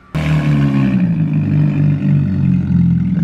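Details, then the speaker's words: Car with the exhaust fallen off at the header, floored up the driveway. Loud, ragged, uneven roar under heavy throttle, pulling in bursts and misfiring horribly. It broke up occasionally while daily-driven; owner suspects the detached exhaust upsets the air-fuel mixture. Misfire under hard throttle. "So I got it up top. I basically floored it misfiring, did a peel up the driveway, and now it's here. So it's misfiring horribly, which I completely forgot about."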